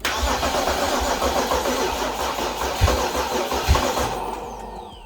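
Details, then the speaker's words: BMW 3 Series with freshly installed junkyard engine, first start attempt after timing set; engine cranks and catches in uneven bursts then cranking fades and dies as the battery runs down; jump pack needed. "because it was firing and it was running out of battery at the same time let me put the jump pack on it and it should start"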